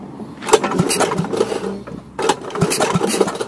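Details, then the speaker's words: Troy-Bilt Horse rototiller, Kohler Magnum 8, no start after dying: two recoil pulls turn over briefly and die without catching, no fuel coming in; failed vacuum fuel pump, to be replaced. "So, the reason why I say it needs a fuel pump is, now look, I'm going to start this thing. No fuel is coming in at all."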